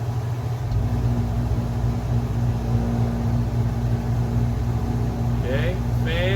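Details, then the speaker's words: Chevrolet-based camper rooftop AC, fan and compressor running after repair: loud steady hum with even low tones, no knocks or scraping, blowing cold air; running normally. "compressor can I get some cold air makes a lot of noise holy crap it's blowing cold air"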